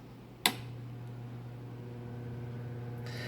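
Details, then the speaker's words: 1982 Emerson 24-inch whole house fan running: steady low mains-pitch hum under the airflow rush, from the metal-clad cable left against the wood and vibrating; needs refitting. "now reason why it's humming like that there the metallic clad cable uh the cables uh actually when I was up there I didn't put it back right it's up against the wood and it's kind of vibrating"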